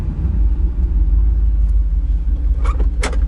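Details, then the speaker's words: Pickup truck V8, cold start: deep uneven idle rumble with irregular stumble every half second, running on seven cylinders, shaking the transmission; owner attributes it to being cold and expects it to clear when warm. "I was running around with seven cylinders for a while that's crazy took me a while it's really notice it was like this is just gonna warm up or is it gonna get you know something wrong"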